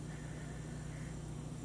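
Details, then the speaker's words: Samsung refrigerator that was not cooling: with the control-board compressor relay contact finally closing the neutral (117 V present), the compressor runs with a steady, smooth low hum; the relay on the board is confirmed bad. "so I jiggled it enough that the relay has made contact to the neutral I got my 117 volts and I can hear the compressor running nice little hum"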